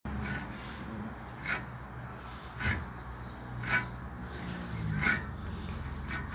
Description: Show us what a bad wheel bearing looks like 👍